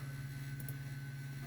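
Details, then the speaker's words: 2008 HP Pavilion LightScribe optical drive spinning up a disc: loud steady droning hum with faint high tone, rougher than a healthy drive; works but sounds bad. "Yeah, it's spinning up. I think we're good. That sounds that sounds like garbage. My only light scribe drive and it sounds like that."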